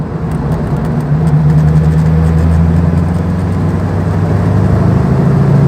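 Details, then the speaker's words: Light car with a 4.6 V8 after tuning, pulling from low revs in 5th gear: deep, even drone building smoothly with no stumbles or surges and strong pickup; normal smooth acceleration. "5th gear, everything is lovely and smooth, and we've got masses of pickup in 5th gear."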